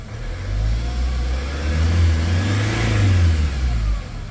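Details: Hyundai Starex diesel that would not start, checked with a scanner and now running: steady low rumble that swells and settles with a light throttle blip, even and smooth with no misfire or knock; normal running.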